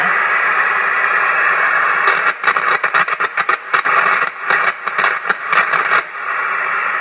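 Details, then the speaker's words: Hammarlund HQ-170A receiver, noise blanker off, pulse noise made by making and breaking the antenna connection: steady hiss broken by bursts of sharp crackling pops; pulse noise on receiver. "so we'll move on from here and get set up to the outside world, an antenna, and actually create some pulse noise. And I can do that by just making and breaking the antenna connection."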